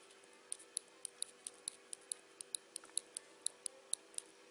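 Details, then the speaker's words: BMW GS1200 brake-lever micro-switch, normally-closed type, clicks crisply about three to four times a second as the lever works but makes no contact; result is no servo brakes, no startup whistle, and rear brake light stays on; failed micro-switch. "you can hear it click but it's not working properly"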